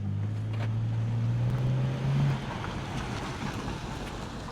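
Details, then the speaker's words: Salvage-auction BMW with an ABS light still on and a rusty brake disc, run up the yard after repair: low, steady engine hum, smooth and even as the car rolls off, no knocks or rattles; normal healthy running. "that sounds so nice beautiful that is"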